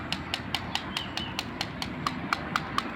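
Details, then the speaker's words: Honda Scoopy-i scooter run with engine oil dried out, loud at idle; sharp regular ticks about five per second over faint engine hum; cam chain tensioner found not pushing, replaced; knocking from oil starvation. "อันนี้คืออาการน้ำมันเครื่องเครื่องแห้งนะครับแบบนี้เลย"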